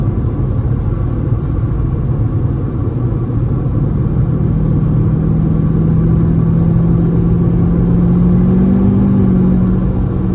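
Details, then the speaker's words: Mercedes C55 AMG with M113 engine after 6-speed manual swap, freeway cruise at 65 mph and 2100 rpm, temps good; steady low engine drone with road rumble, smooth and even, normal. "Seems pretty well suited for the motor. Yeah. Yeah, 65 miles per hour, 2100 RPM, exactly."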